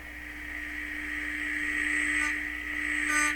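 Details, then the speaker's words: DeForest 10DA517 AM radio speaker, paper cone previously soaked to fix suspected voice coil rub, tested out of cabinet with tone sweep near 300–200 Hz: steady low tone with raspy buzz bursts; speaker cone buzz. "there's the buzz way up there let's go down 200 Hertz whoops so this speaker cannot reproduce 200 Hertz very well"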